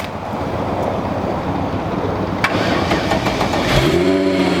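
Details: VW VR6 started on a jump from the 2.5 car. Hiss and shuffling, then the engine catches cleanly and settles into a steady running note with no problem; healthy start.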